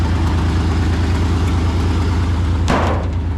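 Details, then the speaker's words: Ford Bronco II engine warming at idle on a 70-degree day, no choke: low, even idle with a steady beat and no stumbles, starting to even out, with a short handling clatter near the end; normal idle. "Just let it get some warm in it so it keeps itself going. There's no choke or anything like that. But I think we're gonna take it down to the shop, put some more air in the tires, and then we have real work to get done, not just fiddle around with this old thing. It's starting to even out."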